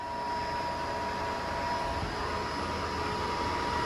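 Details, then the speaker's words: AO Smith Cyclone 300,000 BTU commercial gas water heater in a restaurant, fired up after gas turned back on and test-port set screw closed: steady even burner roar with constant blower hum, no surging or popping; normal firing. "Gas valve's open. She's on, baby. We're firing."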